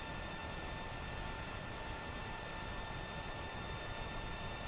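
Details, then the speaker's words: Creality Ender 5 Plus 3D printer printing after the silent board upgrade: only a soft steady fan hum with a faint whistle, no stepper noise; about 54 dB, roughly 10 dB quieter than the stock board. "so you can see it printing there no motor noise"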